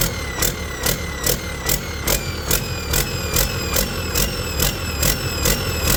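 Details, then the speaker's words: Detroit 40 series generator turbo diesel (rebranded Navistar DT466, possibly DT530), sat outside 5+ years, after bleeding injectors: revs pulse up and down about twice a second at no load; owner suspects flywheel governor hunting, unconfirmed. "Well, something's a little goofy with that governor back here. Like I said, this throttle is like pulsing in my hand, so there's some kind of flywheel governor in there."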